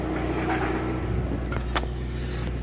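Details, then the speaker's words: Lada Priora engine idling about 10 days after a hydraulic lifter knock was cured by draining old oil and cranking with cam sensor removed: smooth, even low hum, no ticking or knocking; normal idle. "а сейчас где-то 10 день тут упрямо работает отлично"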